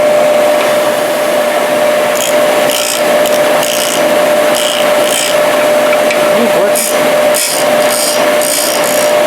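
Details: Used 1998 Workforce 8-inch bench grinder, 120 V 5 A, with wire brush and stone wheels: steady whirring motor with a fixed mid-pitched hum and some rubbing noise on top; runs evenly, normal bench grinder running.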